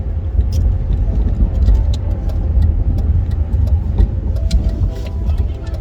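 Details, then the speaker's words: EV-converted BMW Z3 driving after rebuild to fix the squeaking motor-to-gearbox coupler: even low road rumble, no squeak or squeal; runs fine. "as you can hear no nasty squeaks cars running fine"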